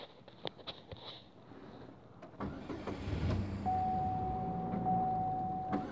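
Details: 2004 Pontiac Sunfire, 5-speed manual, engine blown with a hole in the block side (owner suspects oil pump failure), in neutral with clutch depressed: after quiet clicks the starter grinds it over steadily with a thin tone, never catching.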